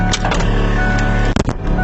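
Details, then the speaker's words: Converted EV1 electric car (power steering removed), key switched on: electric brake vacuum pump activates to charge the power brakes, loud steady buzz at constant pitch with brief clunks; owner plans different mounting to quiet it. "So it goes into this port back here, and then I'm going to click it on, and when I do, you're going to hear the vacuum pump activate, which is going to charge the power brakes. It sounds hellaciously loud,"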